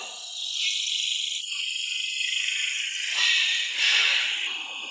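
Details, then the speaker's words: Volkswagen with heavy steering and squeak on the right when turning: high creaking rising and falling with steering from the right strut top bearing, dry of lubricant with rusted balls. "Son vieux roulement manque d'huile À l'intérieur Le broyage est sorti du fossé C'est rouillé. Cela provoquera un bruit fort"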